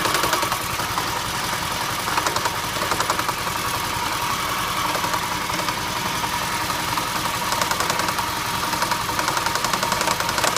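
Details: 2008 Toyota Prius at idle: uneven rapid ticking knock, roughly three to four a second, first thought to come from the transaxle; it was an ignition misfire from a bad igniter/coil on cylinder #1.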